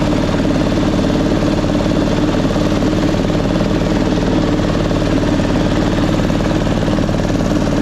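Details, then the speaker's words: 1999 Craftsman lawn tractor, 20 hp V-twin, first mowing test with deck on: loud uneven lumpy chuffing about three pulses a second over mower drone; rough running, flooding, suspected carburetor issue needing cleaning. "See, it's it's flooding. That's weird. Sometimes it does that. Not happy right now."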